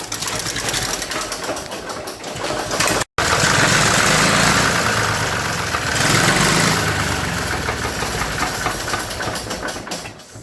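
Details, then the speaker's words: 1961 Nuffield Universal 3 tractor in for a head gasket job, run only seconds with no coolant: given throttle, engine speed swells and fades instead of holding steady, a surge it had on arrival; suspected old age, may even out under load. "i can only run it for a few seconds because there's no coolant in it and that funny surging thing it was doing that when it came here so um i'm not sure what that's all about"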